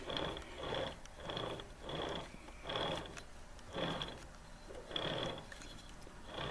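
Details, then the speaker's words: Transfer case output shaft turned by hand with front driveshaft removed: soft even whirring of internal chain and gears, no clunks, still snug; normal, owner suspects the noise comes from the axle instead. "That's the sound of the gears and the chain on the inside, but it's still pretty snug."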